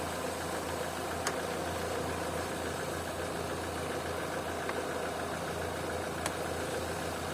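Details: Opel/Vauxhall with intermittent high idle (2000–3000 rpm, now about 800), water-spray vacuum-leak test: steady even idle with a smooth low hum, no hiss, no speed change. Not a vacuum leak; throttle body or idle air control valve suspected next.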